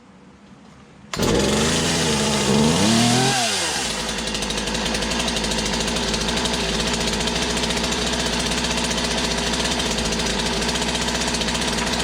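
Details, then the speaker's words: Poulan 2150 chainsaw with a new cylinder and piston, after swapping in a new carburetor, primed: fires at once, revs high and wavering, then settles into a steady, even two-stroke idle; healthy. "all right seems like it's got a good idle so that's a new cylinder new piston put on"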